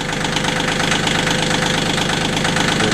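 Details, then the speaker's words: About 2006 Kioti CK20 compact diesel tractor, cold start in roughly 36°F weather after glow plugs: fast, even diesel clatter at idle with slight speed drift as it warms; healthy cold idle while it works to circulate thick oil. "you can hear the engine having a little hard time getting the uh kssk oil moving around"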